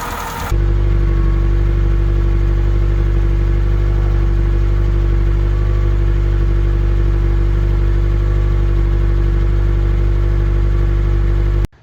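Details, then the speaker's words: 1984 Holden Drover after new distributor cap and swapped distributor, new plugs, old leads: steady idle with slightly uneven loping beat; miss unchanged, next suspects leads, coil, then distributor. Misfire at idle. "exactly the same with the different distributors so that didn't fix the problem"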